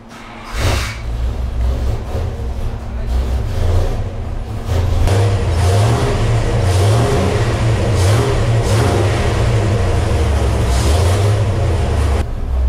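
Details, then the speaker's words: Mopar 383 V8 for a '68 Dodge D200 on the dyno, after richening the Thumper carb jets: pulls hard but wavers and hesitates, a stumble; builder suspects it is running too rich. "I gotta fix that little stumble."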